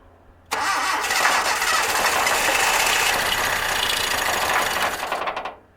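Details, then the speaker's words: 1982 Datsun 720 4x4 with electronic ignition, being revived after long neglect, catches and revs roughly for about five seconds then dies; keeps running only while fuel is squeezed into the carb. "Okay. If you keep giving it a little bit, it keep running."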